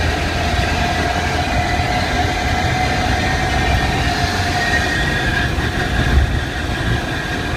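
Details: Car pulling under load, clutch engaged while accelerating: deep steady rumble with faint constant whine; noise only with foot off clutch when accelerating; gearbox or clutch suspected, cause unknown.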